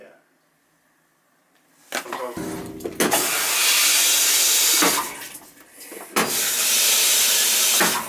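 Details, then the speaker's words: Dishwasher/washing machine supply valves after installing water hammer air chambers: water rushes through the line and shuts off cleanly twice, with no bang or thud; water hammer fixed. "See how they move, but it's not making no noise?"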